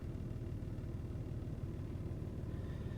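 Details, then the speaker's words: 1996 Toyota Avalon after replacing all four motor mounts, test in park, reverse and drive: a low, even, quiet idle rumble with no shudder or knock, the earlier in-gear vibration gone. "and this is Drive and barely feel it kicking you can't even hear it anymore awesome"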